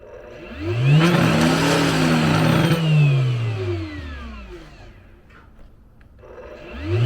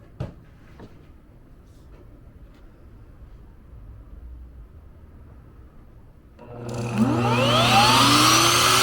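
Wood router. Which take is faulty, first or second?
first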